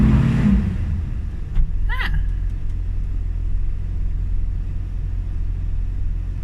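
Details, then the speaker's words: Carbureted engine, cold and warming up, running super rich after loose spark plugs 3, 5 and 6 were fixed, likely curing a misfire: a deep, steady rumble with an even beat and no dropouts; the constant cycle is warm-up, not a misfire. Normal cold idle. "we're comparing it to its natural cycle and it's constant so that's not a misfire that's just the engine warming up"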